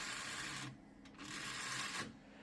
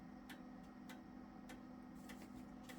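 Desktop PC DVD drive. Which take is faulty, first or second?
first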